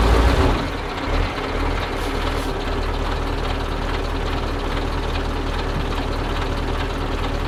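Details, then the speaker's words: Soviet-era Kamaz diesel truck warming up at idle after first start following 6 months of storage and field servicing, brake air building; steady even low rumble, no knocks or misses; normal warm-up idle. "So, we're not giving up that easily. I let the Kamaz run a bit."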